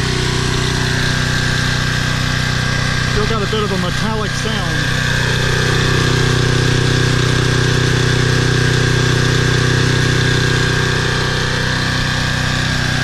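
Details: Toro Personal Pace 20333 mower, Briggs & Stratton 190cc engine, after fitting an aftermarket carburetor and correct governor shoulder bolt: steady, even hum at about three and a half beats a second, no hunting or surging; running normally.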